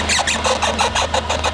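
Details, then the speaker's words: Off-road Mazda 3 test-fitting oversized wheels: quick scuffing rubs, about six or seven a second, over a low engine hum. The tire is brushing the mud flap. "You just barely brushed the mud flap on this side. I'm telling you right now. Oh, you're definitely hitting something on the side."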